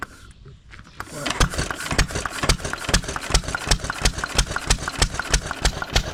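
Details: 1920s Taylor Model B hit-and-miss vacuum engine, long unused, restarted after fuel work, choked to burn old gas; quiet start then sharp exhaust pops about three a second, loosely spaced, running steadily, not very hot but steaming in heat.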